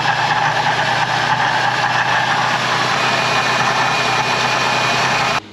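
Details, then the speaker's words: Ford Transit 350 3.7L V6, about 124,000 miles, before water pump, tensioner and serpentine belt replacement: steady idle with a low, rough grumble underneath; bearing grumble, owner suspects the water pump, hopes not the alternator bearing. "hopefully it's not the bearing in the alternator making the noise but it's definitely you can hear grumbling and my feeling is that 124,000 Mi more than like"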